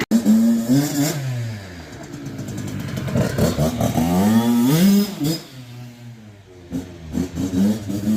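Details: Freshly rebuilt 2002 Kawasaki KX65 two-stroke (Wrench Rabbit kit), already warm from riding; crisp blips rise and fall cleanly with the throttle, no clatter or bogging, revs freely, normal.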